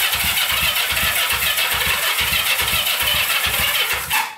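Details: Barn-find Honda CB350 twin (listed as 1970 or 1974), sat for years, on its first start attempt with choke on: rapid cranking, the engine catching briefly in uneven bursts before dying, reluctant to fire after long storage.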